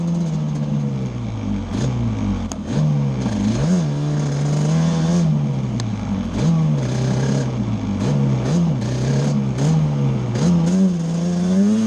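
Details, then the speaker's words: Yamaha Banshee two-stroke twin ATV after a misfire chase (new NGK plug caps, temporary eBay coil didn't cure it): carb needles moved back to middle position, clean revs rising and falling smoothly with throttle blips, no missing; miss gone, running normally. "the miss is gone so just moving the needles back up to the middle position straightened it out we're gonna take it for a spin now"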